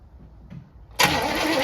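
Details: 1964 Chevy Impala sitting almost 50 years, plugs freshly refilled: starter spins at a steady even rate throughout but no firing pulses ever catch, not even trying. Crank no start.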